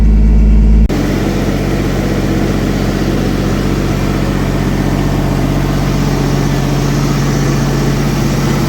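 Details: 1964 Chevy II Nova straight six, sat about a year, running after wiring repairs and cleanup; steady, even low idle with a smooth regular beat around four pulses a second; normal healthy idle.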